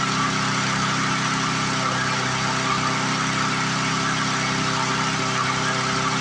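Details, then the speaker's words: 1997 Lawn Chief 3.75 hp push mower after second governor adjustment, set by ear without tachometer: steady single-cylinder drone still gaining, off its proper speed; plastic governor arm bending back and not holding its setting. "Definitely gaining. Problem with these plastic governor arms is they don't like to stay where you put them."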